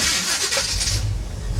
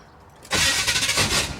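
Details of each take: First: 1977 Chevy Monte Carlo, unrun for about 1.5 years: after turning the distributor the correct way to advance it, a short crank catches almost at once and settles into a steady low rumble. Normal quick start. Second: 1977 Chevy Monte Carlo, off the road for years, first start attempt with the distributor set near top dead center on number one: a brief crank and rough coughing sputter that never catches cleanly. The starter needs shimming. Owner suspects the timing and plans to advance it.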